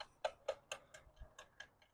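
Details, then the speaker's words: Full-suspension mountain bike while pedalling: sharp regular ticking about four per second; drivetrain noise from badly misadjusted derailleurs. "it's nice being able to actually ride it but the derailers are so off that there's constant noise and Ticking sounds and stuff"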